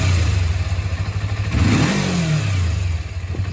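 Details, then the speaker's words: 2001 Kawasaki Ninja 250 warm engine: short throttle blip, then revs fall quickly to steady warm idle as throttle butterflies close; correct return to idle during idle screw and mixture adjustment. "So when you release throttle the butterflies close all the way down and it it returns to um um you know warm idle. When it's cold obviously you want a high idle to to warm up the engine but so when you release the throttle you want the idle to come down just like this. This is how it's supposed to be."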